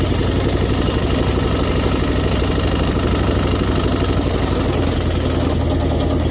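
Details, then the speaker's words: Ford 6.9 IDI turbo diesel being deliberately run to death, no compression, burning oil: heavy, uneven knocking clatter over a lumpy idle with missing cylinders; owners suspect blown head gasket, detached turbo, bad bearings. "I mean, it might have a blown head gasket and no compression, and the turbo might have fallen off, and, you know, probably some bad bearings now."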